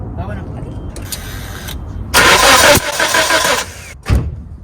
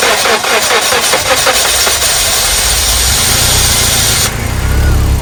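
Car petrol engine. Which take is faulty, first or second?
first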